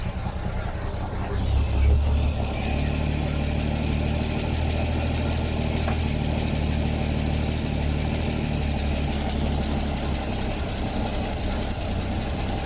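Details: Ford Falcon started with fuel squirted in, first drive attempt after new tires: steady, even low engine rumble with no stumbles or knocks after the first couple of seconds; runs smoothly and holds idle, normal.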